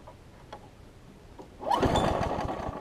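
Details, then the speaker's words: Craftsman 6 hp big-wheel front-drive self-propelled mower after a new pull rope and priming: quiet pulls, then it catches with an uneven stumbling beat that won't settle; rich running, suspected carburetor, spark plug or flywheel key; the plug proved carbon-fouled. "since it's running seems like it's trying to run really rich could be three things one it could be the carburetor two it could be the spark plug and three it could be the flywheel key"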